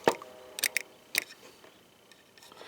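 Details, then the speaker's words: Poulan Pro mower fuel shutoff solenoid after cleaning: a few sharp light clicks as the plunger jumps in and out. Now clicking normally; it had not clicked before, probably the whole no-fuel problem. "i don't know if you can hear that click click click click it's the plunger jumping"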